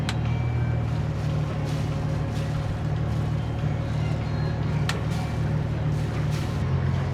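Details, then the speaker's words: Boat diesel engine and marine transmission in forward after grinding noise and discoloured fluid, following about 12 pints of new transmission fluid and a replacement cooler; steady low drone, no grinding or clunks, sounds okay. "Okay, I don't hear anything weird so far. Nothing obvious so far. Sounds okay. Alright, so that sounds good."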